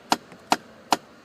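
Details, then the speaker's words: 2011 Ford F-150, driver's side lower temperature blend door actuator clicking in the dash as temperature is raised above about 79°F; works fine below, with sharp clicks from the actuator skipping on worn gear teeth. "you'll start to hear the noise now mine starts around 79° freeze and you're climbing on up it'll start clicking below that works just fine there it goes back down"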